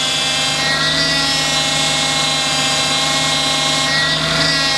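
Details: Toyota Altezza, engine running, steering wheel turned: steady high whine with layered hum holding over engine; fluid blew out during circuit driving, noise and lost assist remain after refill and air bleeding, internal vane pump judged damaged.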